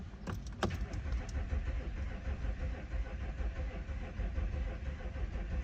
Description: Cold start in my '07 A6 c6 3.0 TDI allroad quattro tiptronic, with a compression problem on cylinders 5 & 6.